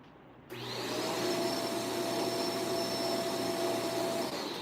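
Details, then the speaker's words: Vacuum cleaner with the brush roll only trying to spin: steady motor whine with a faint uneven rasp underneath. The brush roll drive gear is stripped ("eaten out") after getting stuck on debris. "Look at Look at what happened here. It got eaten out. Okay, it got eaten out."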